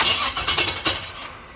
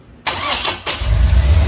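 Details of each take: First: 1976 Corvette with electric fuel pump, old distributor fitted with some new parts and new plugs: catches with a few uneven, stumbling bursts then settles; rough start, owner suspects idle revving a little high. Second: 1976 Chevrolet Corvette V8 right after distributor replacement (old one overheated and caused stalling): short crank, catches within a second, settles into deep, steady, even idle; no knocking so far. Normal start and idle.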